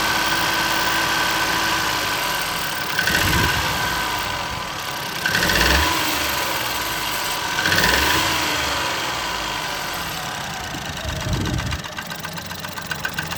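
Engine starts and settles to idle, with a rough knock pulsing through the running sound; knocking present but its source is unclear.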